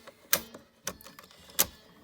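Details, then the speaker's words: Electrohome portable record player, speed changer shifted after greasing the gear teeth and fork: three sharp, dry clacks as the selector snaps between speeds, harsher than expected; owner unsure whether such brisk shifting is normal and thinks it is minor. "that sounded worse than I thought it would I don't know if it's supposed to change speeds as briskly as it does but anyway that's not that big of a deal I don't think"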